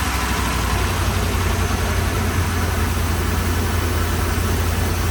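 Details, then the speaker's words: 2013 RAM 1500 5.7 HEMI V8 after replacing damaged pushrods and rocker arms that had been improperly installed after a cam and lifter job: smooth, deep, even idle with steady low rumble, no ticking or knocking; sounds a lot better. "Oh yeah, that sounds a lot better. Alright guys, it sounds good now."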